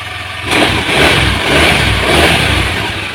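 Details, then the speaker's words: Carbureted Honda Vario 110 after fitting a Karisma/Supra X 125 CDI for ignition with the low-rpm ignition pickup removed; engine catches, revs, then settles to an even idle without hunting up and down; smooth idle. "seperti ini jadi sudah lebih halus ya stasionernya ya nggak ginjal gitu ya"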